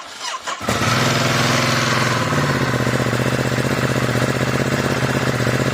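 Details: Ducati Multistrada 1260 S, first start after fitting Exact Start cables piggybacked on originals, battery not new but freshly charged: starter spins barely half a second, twin catches into steady lumpy idle; quick normal start.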